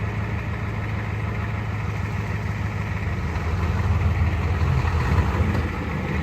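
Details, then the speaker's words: 1986 Ford F150 XLT with swapped-in 7.3L IDI diesel and 5-speed on its first start, temporary straight-pipe exhaust: steady diesel clatter at idle, deep open-pipe rumble, no misses or knocks; running healthy. "all right and just like that she is alive now granted this was the first movement it's done"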